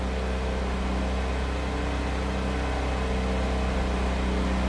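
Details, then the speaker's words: 1988 Pontiac Fiero 2.5 liter, just started and warming up on choke at high idle: even, steady hum holding constant with no misses, knocks or ticks; healthy cold-start high idle. "Might take a little bit to come off a high idle. Tell you what, let's take a little listen on high idle and you'll be able to hear it idled up and idled down."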